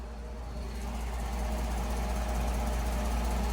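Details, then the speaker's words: 3rd-gen Ram 5.7 Hemi V8 after a header install: deep, steady idle with an even low rumble and no ticking or knocking; the earlier noise was exhaust leaks, not cam or lifters. "Stop fucking throwing around fucking misinformation, because my Hemi is perfectly fucking fine. It was exhaust leaks. That's all it was."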